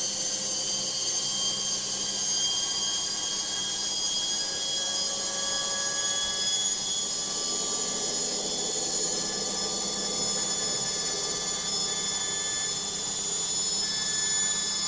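A shrill, constant whine with a harsh high hiss runs through the spin without easing; an abnormally noisy spin, source unclear.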